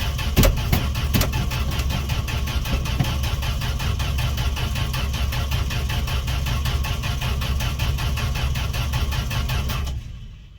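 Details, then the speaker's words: Fargo D100 (Dodge D100) pickup cold start after sitting all winter, gas poured down carb throat: steady even cranking chug about ten seconds, never fires; owner thinks there is no spark, cause still to be found. "I don't think we have spark please gentlemen uh his first time this truck's never started"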